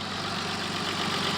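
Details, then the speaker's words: 1986 BMW E28 528e six-cylinder the day after repairs and a quart of Lucas oil stabilizer: steady, smooth purring idle with very little exhaust smoke, coolant full; idle sounds possibly high but tachometer doesn't work; normal idle. "look at that no smoke I believe this thing is actually fixed"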